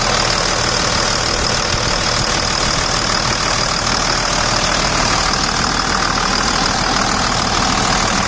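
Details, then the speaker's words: 2000 Dodge Ram 2500 Cummins diesel, about 210,000 miles, AC compressor pulley bypassed with a 65-inch non-AC serpentine belt: steady even idle clatter, no belt squeal or chirp, belt tracking straight; normal diesel idle. "So I'll go ahead and start it here now. Let's go right over here. Sounds good. Okay."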